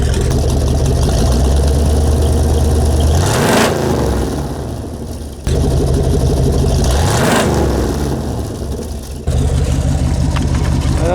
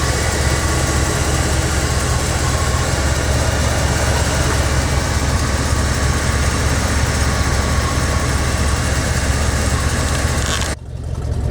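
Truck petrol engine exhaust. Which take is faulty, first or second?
first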